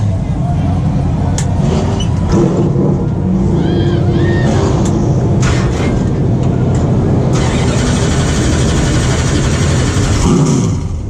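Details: Freshly rebuilt race car V8 started in cold garage with heater on: catches at once, settles into loud, lumpy, even idle a bit high, no knocks; sounds healthy, exhaust may rattle slightly.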